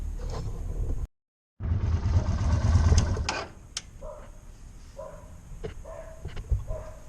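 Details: 2020 Izuka CL 250 motorcycle, 500 km, after fixing a fuel fault that made it jerk and stall while riding: after a brief dropout the engine settles into a steady low rumble with an even beat, running cleanly; normal running.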